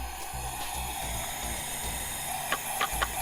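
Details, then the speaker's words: Honda Civic EG with K24/K20 swap, OEM build, smoking oil: leak-down gives a steady rushing hiss with dull thumps, cylinder holding no pressure; leak past valves or wrong piston rings suspected. "all right so you can hear it all all the pressure is escaping out of the cylinder um showing basically full leaks down"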